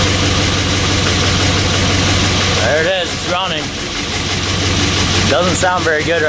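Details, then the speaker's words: 1984 Chevy K20 with LS swap (5.3 V8), just fired up cold: slightly rough idle with fast light ticking over the rumble; owner says lifters clattering, typical 5.3 lifter tick, normal when cold. "now but you know it's cold i can hear the lifters clattering but that's just normal well you guys heard it run sounds okay has the typical 5'3 lifter tick"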